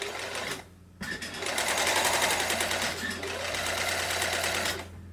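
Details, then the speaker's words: Janome Combi sewing machine/serger after motor drive belt tension adjustment: even, rapid stitching clatter about three stitches a second, steady speed, no slipping or labouring; runs smoothly, problem fixed. "just a quick short test like that and seems to be you know running smoothly so that's that problem sorted"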